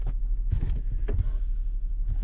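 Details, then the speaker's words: 2011 Lincoln MKX running after replacing a leaking brake booster that caused a soft pedal: low engine rumble with a few soft bumps, no hiss or whistle from the booster; brakes feel good. "So we just got it put back together here. Started it up. I don't hear any noise."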